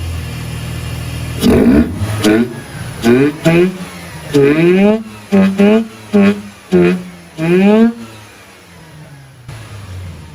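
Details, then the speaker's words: Mazda RX8 rotary with a newly fitted K&N Typhoon induction kit replacing the original airbox: catches, then quick throttle blips rising sharply and dropping to idle, loud intake; sounds much better than before, normal start and rev. "Yeah, well, that's a remarkable difference. Let's see if Rick's happy. Sounds pretty cool."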